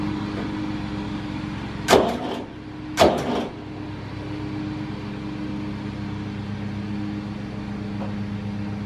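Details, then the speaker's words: Massey Ferguson 35 diesel tractor, sat unused: steady chug with uneven lopsided beat and two loud clanks, running on two cylinders; one cylinder honed at rebuild and thought to need working in, runs on three when warm under load. "uh seeing here it was only running on two cylinders or so it's because uh the one cylinder got honed out when it was rebuilt and it hasn't been worked"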